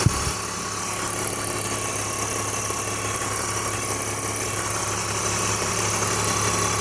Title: E46 330i Motorgeräusche